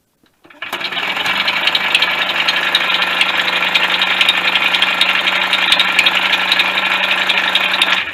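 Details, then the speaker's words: 1988 DT50MX two-stroke engine, first run after rebuild and refitting: steady idle with a sharp bird-like chirp ticking three or four times a second. Chirping noise; owner suspects the crankshaft is out of true, unconfirmed. "Yeah, so I was expecting a nice, a nice smooth sounding engine there. And, sounds like I've got some sparrows trapped in the engine, which probably means I think the crankshaft is out of true."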